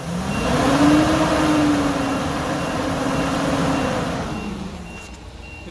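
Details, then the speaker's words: Workhorse chassis 8.1 Vortec with aftermarket fan clutch, engine warming up: a deep rushing roar and rising hum build as the clutch finally locks up around 205–225 degrees; the fan clutch is engaged and working normally. "all right it's finally starting to kick in it took a while that's the sound i've been waiting for"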